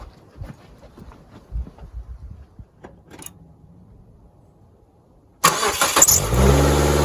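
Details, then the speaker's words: 2002 Mazda Protege5 after an epoxy repair where spark had been visibly arcing: engine starts and settles into a smooth, steady idle, no longer shaking and jumping; owner calls it a fix for now. "happens and that thing is smooth as butter before it was running so rough everything was sit there shaking and jumping now just as smooth as can be"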